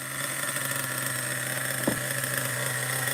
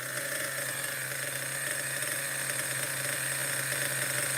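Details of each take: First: Vintage Schumacher XTR-3E nitro stadium truck at first fire-up, engine still cold: it buzzes at a slightly lazy, uneven idle, then dies because the mixture is set too rich. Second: Schumacher XTR-3E nitro stadium truck on first fire-up, engine still very cold: high, buzzy steady even idle with no stumbles or surges; settled, proper runner, idle a little average.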